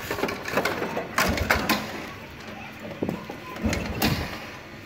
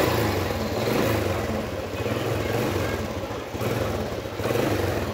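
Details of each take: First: Motorcycle kick-started with the ignition switch off: dull kick-lever thumps and mechanical clatter, no firing; the engine will not start until the key is turned on. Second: Vietnamese motorcycle running after the key was switched on and the lights came on: even, steady putter with gentle rises on light throttle blips, no knocks or rattles; throttle response is slightly weak, otherwise running normally.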